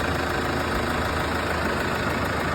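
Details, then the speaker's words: Case 115A tractor idling after a no-start was diagnosed and temporarily fixed with a makeshift battery connection, proper part still to order; even, steady low rumble with no misses or knocks; normal idle. "Well, there we go. Diagnosed it. Kind of fixed it."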